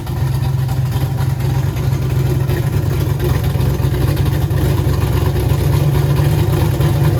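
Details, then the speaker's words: Turbo LS Mustang built for 1000+ hp, new Aeromotive fuel system, first fire-up; deep choppy loping idle around 900 rpm with big-cam beat, air-fuel ratio right on; normal healthy idle. "oh my goodness man your car's running you happy man that thing sounds good"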